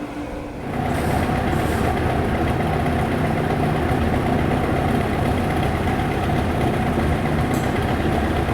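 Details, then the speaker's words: Car's engine with used 40 Italian Weber carburetors, hot-tanked and mildly rebuilt to replace poorly matched setup: steady, even idle with smooth low rumble, no stumbles or shaking; normal idle. "as you can see that motor isn't shaking no"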